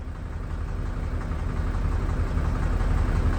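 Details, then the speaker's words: 1999 Mercedes Vario 612D truck, 12V air compressor overrunning past its 12 bar (about 174 psi) cutout toward 190 psi: a low, steady pumping thump that keeps going and rises slightly. The cutout pressure switch tested as failed, stuck closed, and was replaced. "So going by the pressure gauge on the dashboard, the compressor should have turned off by now, but it hasn't. As you can see, the compressor is still running and it's still charging the tanks."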